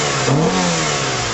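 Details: 2001 Mitsubishi Galant GLX SE 2.0 4G63 petrol, after new air filter and throttle body clean with carb cleaner: pitch climbs cleanly on throttle, drops back to steady idle without hunting, no smoke; healthy.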